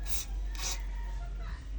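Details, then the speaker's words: Noisy vehicle mechanism while moving, joints just sprayed with WD-40: short scraping rubs with a brief squeak as it moves, pivot joint still rubbing dry; noise persists after first application. "Para mawala ang ingay subukan natin. Ayan. Tapos sa loob din may mga kumikiskis kiskis."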